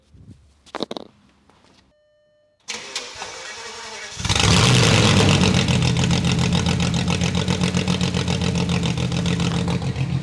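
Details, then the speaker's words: Abandoned VW Phaeton W12, first start after removing the secondary catalytic converters: cranking, then catches and flares into a very loud raw roar, harsh and booming at idle, "like a dinosaur"; decatted exhaust far too loud. "Oh my God. I don't know what to say. That is too loud. Oh my God, it sounds like a dinosaur is in here."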